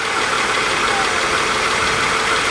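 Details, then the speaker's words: Salvage-auction car listed as a non-runner, idling with the AC on, heard at the hood: a smooth, quiet idle with a faint steady fan hum, no ticking or knocking; the engine sounds healthy. "Come over to the hood, take a quick peek. She sounds good."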